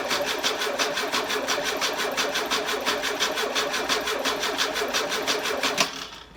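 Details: Engine's first start attempt after sitting six months, with a burst carburettor. Steady starter cranking at about three beats a second for nearly six seconds, then it cuts out without catching; long, hard crank.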